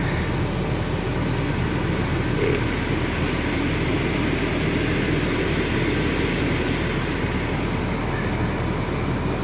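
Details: 2011 Mini Cooper blower motor after bearing lubricated and motor reinstalled, engine idling: constant airy whoosh with no rattles, squeals or scraping; blower fan running cleanly.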